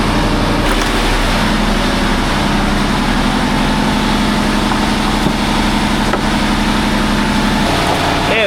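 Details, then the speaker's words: New truck, about 6,000 miles, stationary at idle: steady loud diesel idle with even low drone and no misses; dash shows exhaust system cleaning active, a DPF regeneration. "That just sounds like it's burning flipping diesel for no reason. Could have done that tomorrow when we're on the road."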